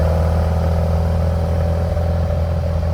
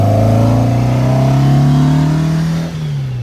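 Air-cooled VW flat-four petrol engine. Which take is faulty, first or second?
first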